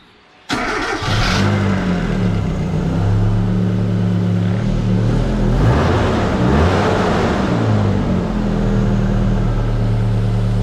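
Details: Car after alternator replacement, restarted once reassembled: the engine catches at once and settles into a steady, even idle with a smooth low hum and light revs, no knocks or squeals; normal running.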